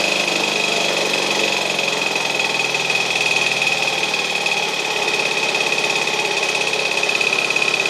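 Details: Restored 1952 DC military generator, first run after restoration: small engine runs at a steady, even beat with a constant high whine from the generator, no misses or knocks; sounds healthy.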